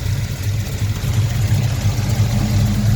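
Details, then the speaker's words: Buick Skylark V8 with sonic-cleaned rebuilt carburetor, timing 12 degrees initial, about 36 total: deep, steady burble at idle with slight lope, no knocks or misses; idling fine, slight hesitation noted off idle. "So yeah, it seems to be running idling good."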